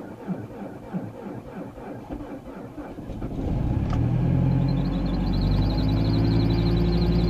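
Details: 2006 MazdaSpeed6 at -32°C (windchill -45°C), sat about 48 hours, failed first attempt: long labored cranking finally catches and settles into a fast, steady cold idle; hard cold start.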